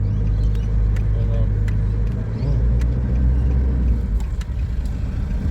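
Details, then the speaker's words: Nissan Navara 2.5-litre manual diesel, 226,000 km, no work done, flat out under hard acceleration: deep drone with scattered sharp rattly ticks and little power above 3,000 rpm; suspected carbon-blocked intake, needing a decarbon. "And one in the shop, 2.5 litre. Listen to it. Rattling. This one hasn't had anything done."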